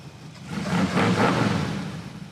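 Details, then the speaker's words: Big-block 1980 Chrysler Mirada V8, started on starting fluid after reconnecting the disconnected ignition ballast resistor that had been cutting ignition: revs up and falls back smoothly, even deep exhaust, no misfire or knock; runs remarkably well. "that sounds remarkably good"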